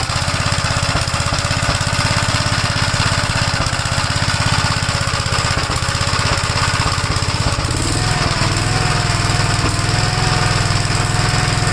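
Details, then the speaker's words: 1956 Gravely L single-cylinder, still running rough after part-one vacuum leak checks, before a carb swap from a 1957 LI: lumpy, surging chug at about three beats a second; starts first pull cold; carburettor problem suspected. "in part one we did uh check for vacuum leaks and stuff you can uh hear that it's not running right at all but it starts on the first pole when the engine's called"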